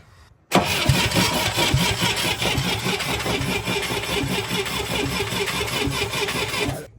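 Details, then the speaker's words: International Scout 800A, sat years in a barn, points-and-coil distributor with points cleaned and filed: about six seconds of even, free cranking without a single firing pulse; no spark, so it won't start. "we popped our cap off here cuz this is a points and coil type distributor and usually you clean up the points here we did that we filed that and uh still didn't have nothing"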